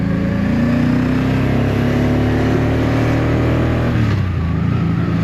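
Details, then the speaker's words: 1984 Honda V65 Magna VF1100C barn find, on a ride after about 10 good miles: revving sounds flat and uneven, irregular pulses dropping back; rider thinks it's running on two cylinders, suspects fuel starvation to floats, not confirmed. "I think I'm running on two cylinders"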